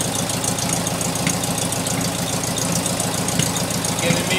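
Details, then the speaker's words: 1972 VW Beetle: rough idle with irregular light popping. Pulling the number two plug wire stops the popping and smooths the idle despite good spark; the misfire returns when reconnected, cause unknown. "can immediately start to hear that misfire again."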